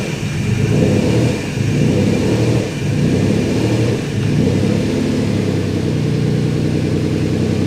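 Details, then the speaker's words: Twin-turbo Ford Capri after new gaskets resealed the chamber and the throttle stop was reset; starts cleanly and settles into a steady, even idle with only mild rev swells and no hunting. Vacuum leak fixed. "okay so as you see that was a success um i turned the throttle body back up again and if it i've only it happened when it started just a tuning issue"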